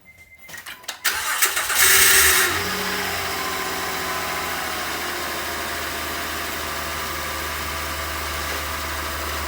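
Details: 2011 Honda Odyssey start-up: starter engages for the first second, then a loud whirring, rotational noise lasts about 1.5 seconds before settling to idle.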